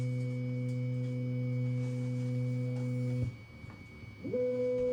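Low steady tone holds about three seconds, drops out for a second, then sounds again: two long beeps at print start, cause unknown.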